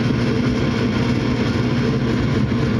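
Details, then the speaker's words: Furnace restarting after a dirty, bad flame sensor was cleaned; the igniter fires, flames come on and a steady, even low roar of burning gas holds without dropping out, running normally. "There goes the igniter. flames are on and now it's running. So, in this case, that's all the problem was is just had a bad flame sensor."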